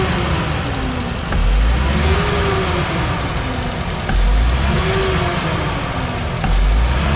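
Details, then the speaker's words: 2015 Nissan Caravan E26 with loss of power and lazy acceleration, previously given valve work at another shop. Repeated throttle snaps give a choked rising tone, slow to climb. A clogged catalytic converter is suspected. "as I said um this definitely may be a claw cat right um I'm definitely losing paw on upon acceleration and it drives like crap um it sound like crap too"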